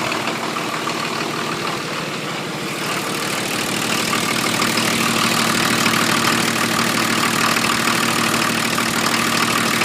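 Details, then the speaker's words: 1980 International Scout II with factory Nissan SD33T turbo diesel, freshly rebuilt, first run in the truck, still cold: loud, hard diesel clatter at steady idle, settling down; owner unsure why it is louder than others, perhaps the cam. "so uh that's what it sounds like it's pretty loud compared to some of the others that I've Just Seen on on YouTube um not sure if that's because of the cam or or what the deal is yeah"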